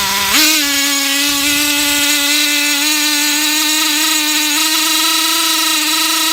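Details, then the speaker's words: Traxxas T-Maxx nitro RC truck with replacement engine: putters at start then jumps to a steady high-pitched scream with no throttle input, stuck at runaway high idle; owner suspects air bubbles in fuel line, needle at three and a half turns. "it'll like I'll start it and you know kind of putter and then it'll just go just start screaming like it's in full full bore but I'm not even pressing on the throttle"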